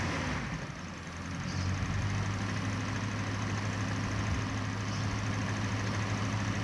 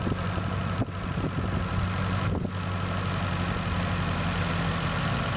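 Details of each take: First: Toyota Corona petrol engine idling after new spark plugs (plug wires not replaced): steady low hum with the earlier misfire and vibration much reduced, almost no shaking; points still to be checked. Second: Toyota Corona with rough, misfiring idle complaint: steady low petrol idle with a couple brief dips, settling as the carburetor air screw is turned and throttle lowered; rough idle smoothing during carburetor adjustment.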